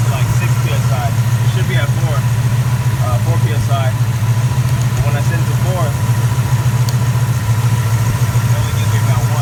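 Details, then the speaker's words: 1967 Plymouth Valiant at idle, gauge reading only about 2.5 psi with regulator maxed: lumpy uneven idle with light misfire and exhaust crackling, not a true backfire; owner attributes it to insufficient fuel pressure. "a little crackling noises and the exhaust not really a backfire just more crackling noises in the exhaust and a little bit of a misfire that you can kind of hear and idle not getting enough fuel pressure"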